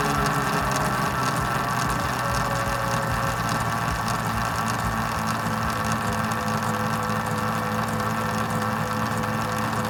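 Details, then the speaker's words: Hollyburn GS electric scooter running on a jack stand with the old sprocket, throttle applied gradually, listening at the chain drive: even motor hum with a light tick about 1.5 times per second. The source is unknown. "I don't know what that noise is but you can hear a noise that's like going tick tick take I sure what that's coming [Music] from"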